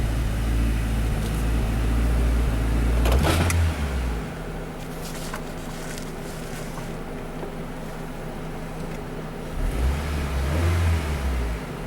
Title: Хонда Фит Двигатель L15A троит при нажатии на газ. У кого такое было? Honda Fit L15A misfiring.